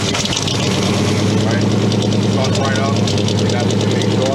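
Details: K5 Blazer with TBI that had a long crank time on cold start. The fix is to wait for the fuel-pump prime chime to end after turning the ignition before cranking. Now it catches quickly and settles into a steady, even idle. Normal start and idle.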